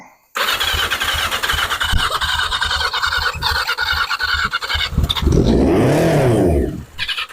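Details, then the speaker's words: 1981 Yamaha Maxim XJ650, unrun for 20 years, first start after fixing out-of-order spark plug wires and fitting new plugs, carbs not yet rebuilt: cranks, catches, runs a bit rough, then a clean rev; healthy running motor. "yeah success fired up sounded healthy"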